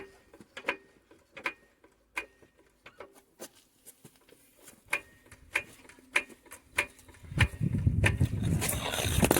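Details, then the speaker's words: Citroen Picasso jacked up with the wheel shaken side to side: dry, sharp clunks a few times per second from visible free play, a worn ball joint; no play showed with the wheels on the ground. "Now, if we look at this tire when I'm shaking this, see that movement? And you can hear it."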